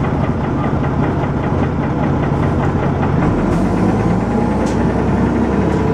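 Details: Dennis Arrow bus, diesel, recorded under way: loud drone with a fast, even knock riding on every engine turn plus heavy thrash; cause of the knock not stated.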